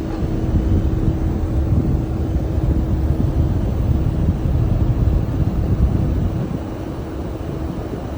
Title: Heat pump making noise